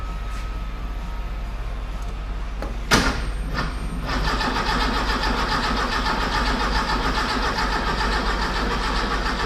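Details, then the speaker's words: Car with distributor cranks steadily after a clunk but never fires, though fuel can be smelled; ignition suspected. Later traced to miswired spark plug leads. "Well, we know this is spark. I mean, it's just not even firing, is it?"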